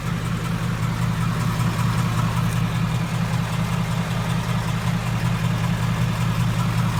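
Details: 2015 Ford Mustang GT V8 at idle: a light fairly regular tick from the passenger-side cylinder head; owner suspects a cylinder head issue like the 03 Cobra recall, not confirmed.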